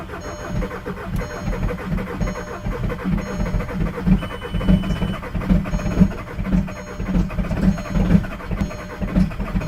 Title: Mk4 Jetta TDI BEW Cold Hard Start